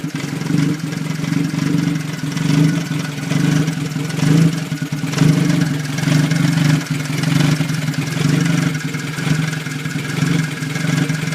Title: 1989 toyota tercel 3e rough idle